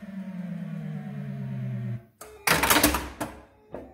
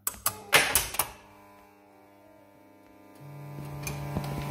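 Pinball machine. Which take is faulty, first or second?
second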